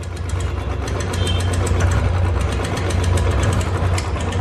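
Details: 2012 Royal Enfield Electra at idle: a light, sharp ticking rides steadily over the single's low thump, about four a second. A top-end tick noise problem, likely valvetrain.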